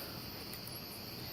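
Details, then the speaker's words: Wheelock fire alarm strobe in a quiet room: a thin, steady high-pitched whistle from the charging capacitor in the circuit board area under the reflector. "you can hear that high-pitched squeal it's actually the stroke right here that has that loud capacitor and it's almost loud enough for it to be on its own alarm basically"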